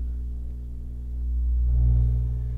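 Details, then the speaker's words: Monoprice hybrid stereo tube amplifier: a steady low buzzing hum from the speaker kicking in after 20–30 seconds, traced by swapping tubes to the defective left preamp tube. "the hum kicks in after 20 30 seconds then you know it's one of the tubes are defective and look sure enough it's the left"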